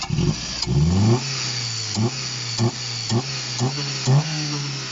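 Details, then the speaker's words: Opel non-runner, thought to sound like a 1.6 Astra F, first start with only the belt fitted and a leaking water pump: steady idle then quick clean throttle blips, healthy and responsive; little smoke but some blow-by. "There isn't much smoke, but there is blow by. It sounds healthy. It sounds like a little 1.6 Astra F."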